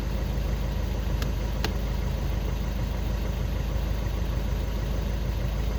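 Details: Skoda Octavia 2 diesel after crankshaft sensor (G28) replacement and fault clearing, cured of no-start/hard-start with glow plug light: steady, even low diesel clatter at idle, no misses or knocks; smooth, healthy normal idle.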